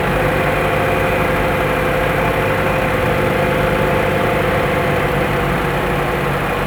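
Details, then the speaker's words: 2012 Chevrolet Cruze 1.4L turbo, cold start after sitting overnight: starts perfectly smooth without stumbling, steady even idle with no misfire, stumble or knock; runs healthy. "they usually do start up but they'll stumble to a stop andart and restart but this thing has been perfectly smooth starting"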